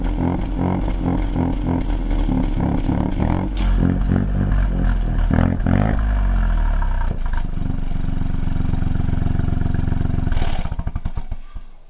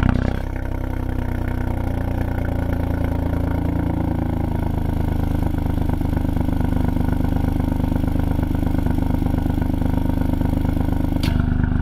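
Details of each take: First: 2020 Ford Fiesta MK8 ST with Scorpion GPF-back exhaust, after fixing a rattling exhaust valve; deep steady burble, rev rising and falling cleanly with no valve rattle. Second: 2020 Ford Fiesta MK8 ST with Scorpion GPF-back exhaust, before the fix, at cold-start idle: dull buzzing rattle over the exhaust note from a loose vibrating exhaust valve flap.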